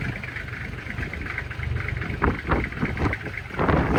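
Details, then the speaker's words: 1997 Toyota Land Cruiser HZJ75 diesel, true cold start around 20-25 degrees, windy, after glow plugs, recorded on phone: even clatter at steady cold idle with some ticking bursts, no misses or knocks; little smoke, blow-by looks good; normal cold idle. "No more smoke, really, a little bit, but not really any. It sounds good."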